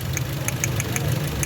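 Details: Toyota GLI engine misfire: uneven idle with irregular sharp ticks over lumpy low rumble, beats dropping out; a cylinder misfiring, no misfire code shown, plugs and numbered coils to be checked per cylinder.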